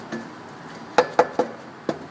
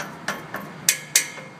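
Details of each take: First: 2005 Hyundai Santa Fe with rattle on acceleration, exhaust heat shields tapped under the car while cool; each tap gives a short clean clink with no buzz or rattle after, shields are secure. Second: 2005 Hyundai Santa Fe, complaint of a rattle on acceleration: four sharp, tinny taps on the exhaust heat shields ring and buzz after each hit, revealing a loose shield; the transverse engine rocks on acceleration, and the shield was adjusted to cure the noise.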